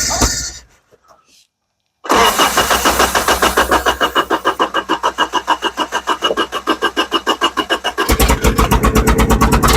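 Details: Amigo found in central Arizona, first start attempt: starter churns about three and a half beats a second, then ragged popping that never catches into a steady run; exhaust leak and holed catalytic converter noted. Cause unconfirmed.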